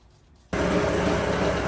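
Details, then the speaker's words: 7.5 HP Campbell Hausfeld air compressor after repairing a leaking check valve that let the pump spin backwards. After the breaker is turned on, the motor kicks in at once and settles into a steady, even drone: a clean start. "We actually fixed the problem. And now notice the compressor wheel. The pump is not spinning."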